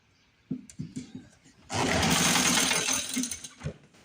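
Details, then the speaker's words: 1950s Lawn-Boy bricktop two-stroke with low compression, points cleaned, fed carb cleaner as carburetor may not be drawing fuel: a few sputtering pops, brief burst of buzzy firing that fades; rough running. "We got a running bricktop, ladies and gentlemen. Running bricktop."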